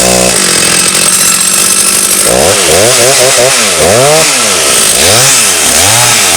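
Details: Stihl 084 AV chainsaw, about 35 years old, found on the tip and restored, slabbing Australian red gum in the forest: a big two-stroke screams at high revs, pitch dipping and recovering as it bites, strong even pull; healthy and cuts easily.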